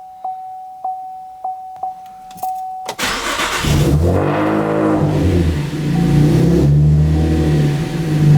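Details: 2012 Chevrolet Camaro V6 after alternator and serpentine belt replacement, battery at 12 V before start: door chime pings five times, cranks, catches at once, smooth steady idle, no belt squeal; charging voltage rises, normal start and idle.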